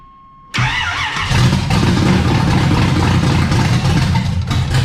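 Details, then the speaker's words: Camaro after new battery, distributor cap and old plug wires, timing set and advanced a bit more: engine catches and revs up strong and crisp, pulling cleanly without pinging or stumble; normal running after timing adjustment. "okay drink it forward a little more a little bit more advancement the dog didn't like it but I loved it"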